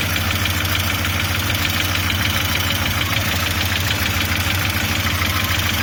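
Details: Audi 80 B3 at steady idle with a fast, fairly regular tapping knock about three per second; engine knock, cause unknown.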